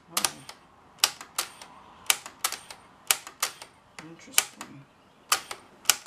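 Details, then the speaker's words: Webcor EP 2104 tape recorder in dirty, poorly preserved condition (amp still works): tape will not rewind, sharp dry uneven clicks about two per second with no motor hum, rewind mechanism clicking without engaging; owner suspects it needs lubrication. "this will need to be dug into further let's see why it's not rewinding"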